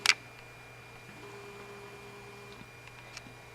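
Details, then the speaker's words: Acer netbook hard drive; sharp click, quiet whirring with faint scattered ticks and another click, drive apparently failing. "we're going to pop this drive into the Compact and we're going to see what's up here oh man that sounds bad"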